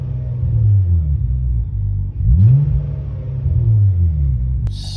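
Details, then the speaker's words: Hyundai Tiburon N/A build with new port-matched upper and lower intake manifolds and a freshly installed tuned ECU. Low engine rumble rises with throttle blips, and revs fall back slowly, hanging a moment above idle. "slight elevated throttle. Slight. Looks like it's hanging a little bit still."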